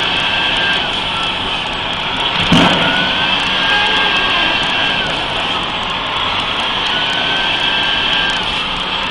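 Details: Mercedes-Benz 3340 diesel truck at idle, turbo failure test: thin high whistle over the steady diesel hum. Points toward the turbo, but the fault is unconfirmed.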